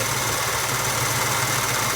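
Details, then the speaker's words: 1966 Ford Mustang convertible, freshly restored engine idling with new power steering belt: constant hiss and rough whir; pump full of fluid, pulley felt tough spun without belt, pointing to a noisy power steering pump bearing. "I spun the pulley without the belt on it it was kind of tough"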